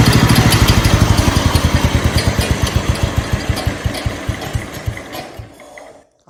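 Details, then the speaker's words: 1969 Blue Patio garden tractor. Small engine fires with an even, steady beat, then shuts off and coasts to a stop. Runs much better than at the first start-up; the PTO still cannot be disengaged. "can definitely say it runs a lot better now than it did when we first started it up man that sounds good"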